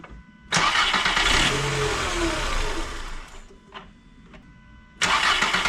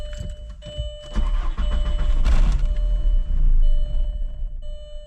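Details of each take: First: 1999 VW Golf MK4 that had P0300/P0302/P0304 misfires and wouldn't start or idle, after replacing the bad mass air flow sensor: quick crank, catches at once, revs cleanly, settles and shuts off; starts and runs fine. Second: 1999 VW Golf MK4 2.0, sat for two weeks, misfire codes P0300/P0302/P0304: starts, runs rough a few seconds, sags and dies; stalling caused by a bad mass air flow sensor.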